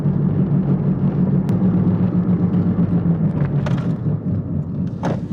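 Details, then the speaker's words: Honda Fit driving at road speed: low steady droning rumble from the front; owner suspects a bad wheel bearing or a flat-spotted tire; no check-engine light or codes. "please sounds a little rough [Music] like might have like a better wheel bearing or have a flat spot or um a bit wheel or something"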